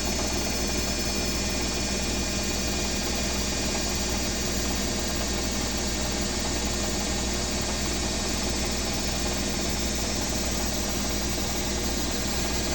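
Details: Owner's BWS24 washing machine on a 4-minute spin: a smooth, constant spin roar with a faint high whine and no thumping or banging. The washer is spinning normally, unlike the neighbour's Midea HealthGuard.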